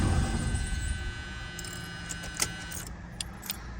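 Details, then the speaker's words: 1977 Lincoln (Continental Mark V) started after about 3 years in storage, primed with two-stroke fuel poured into the carb; starts, runs rough and uneven, then dies within seconds from fuel starvation because fuel is not yet reaching the filter. "It's running rough, but oh, maybe out of gas. Let me get some more gas to it."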